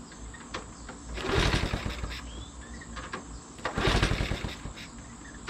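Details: 1980 Honda CT70 minibike, hot-wired off the magneto, after the fouled original spark plug was replaced with a new one: the single pops and putters in two short surges, then settles into an even beat; fires and runs properly.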